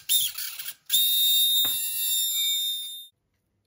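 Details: Axial SCX10 Rubicon RC crawler steering servo, opened up: a thin shrill screech holds about two seconds once powered, with no grinding. The gear teeth are all intact, the cause is undetermined, and the servo then went dead.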